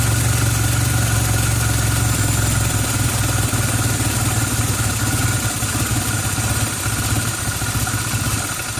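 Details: 1990 Toyota Celica Alltrac (ST185) with new plugs, wires, cap, rotor and fuel filter: rough, hunting idle with loose clatter sagging toward stalling; dies when given gas or at about 12–13 inHg vacuum; vacuum leak suspected, not located.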